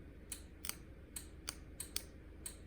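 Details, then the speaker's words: Pop-Up scissor lift bought at auction with parts missing, wiring under test. Bridging two wires gives sharp dry clicks, about eight in three seconds, over a quiet hum: the lowering-circuit relay clicking as it is energised. "Right, so we should have, what I've done is I've worked out that this is, if I connect these two together, can you hear the relay?"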